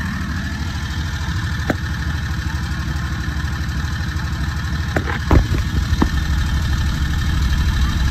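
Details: Predator 670 22HP V-twin on an EZGO Workhorse, with carburetor idle adjustment from about 1800 rpm toward 1200–1300. An even, brisk putter with no misses, plus tool clicks. Idle still somewhat fast.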